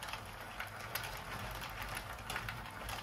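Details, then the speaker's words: Plastic knitting machine, lightly used, cranked before lubrication: steady, dry, light rustling rattle of many small plastic gears clicking past; dry gear rustle, gears then oiled to stop yarn jamming and stiff turning. "böyle hafif bir hışırtılı bir ses geliyor."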